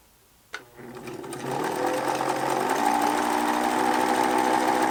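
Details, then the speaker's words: Pfaff 801 sewing machine after swapping in the Pfaff 807 motor: spins up to a fast, even whir with rough buzzing vibration. Likely a flat-spotted rubber drive wheel from being left pressed against the hand wheel. Suspected, not confirmed. "apparently sitting there in that position for a length of time creates a flat spot which would explain that vibration"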